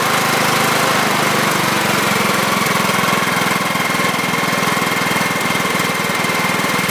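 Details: John Deere L110 (2006), Kohler Command 17.5hp, revived after sitting 2 years with a fresh battery, stale fuel drained and overfilled oil corrected. Smooth, even, steady running with no knocking or stumbling, slight oil burning off the muffler: normal running.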